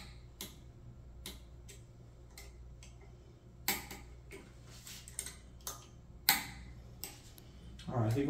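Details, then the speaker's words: AnoleX 4030-Evo Ultra CNC router after closed-loop stepper motor upgrade; sharp irregular clicks a few per second over faint motor hum as axes move, something rubbing; cause not confirmed. "hear it clicking like that it's rubbing"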